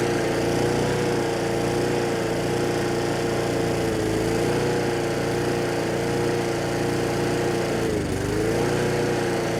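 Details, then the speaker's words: Brute mower with Briggs & Stratton Classic single-cylinder engine: runs but speed hunts up and down (surging); choking by hand didn't change it, so not the carburetor; a governor spring problem rather than fuel. "Alright, so the engine's running now, but it seems to have a bit of a surging problem. That's usually fuel related, carburetor related."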